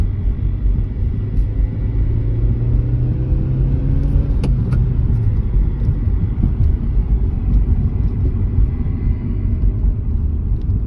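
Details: 2013 Hyundai Veloster: a steady low hum rises over the engine rumble once the clutch is engaged. Cause not determined.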